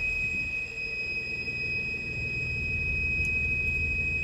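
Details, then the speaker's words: Volvo XC90 3.2 inline-six, warmed up: steady high-pitched screech over a smooth idle that disappears when revved; lean codes bank 1 and 2; water pump or idler pulley also suspected, cause unconfirmed. "But when it's screeching, it only happens at idle. When you bring the revs up, it goes away."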